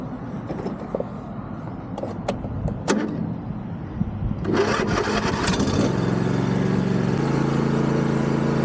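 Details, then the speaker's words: Yard Machines MTD riding mower, deck belt had kept jumping off: engine steady, then loud rough grinding roar with rising whine as the deck engages, burning smell; bad deck spindle bearings, new bearings or full kit needed. "There's definitely some bad bearings in here because that thing is freaking loud. So I think we're gonna have to order new bearings, and it may just be cheaper to buy a whole new kit."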